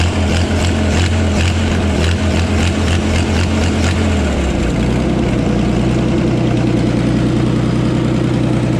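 Old flathead idling with a sharp puffing tick each firing, then settling lower and lumpier; sounds like exhaust leaking at the manifold.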